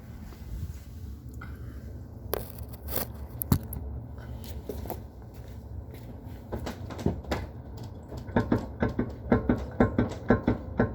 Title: E46 M3 clunk noise from rear suspension